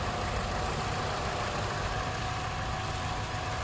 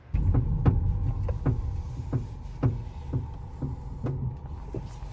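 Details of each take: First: Car with aftermarket coilovers after lubricating both coilovers (WD-40 in the ball joint): steady idle, wheel turning with no more clunking; suspension now quiet, fixed. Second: Coilover suspension on a modified car: sharp, uneven clunks about twice a second while steering, from a dry pillow ball top mount; fixed with WD-40 and white lithium grease, after which the noise is gone.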